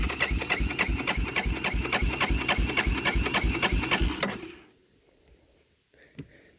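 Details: 1999 Yamaha Big Bear 350 4x4 ATV, apparently sat outside for years, in neutral with fuel on and choke pulled: starter chugs three or four beats a second for about four seconds, never fires; cranks but won't start.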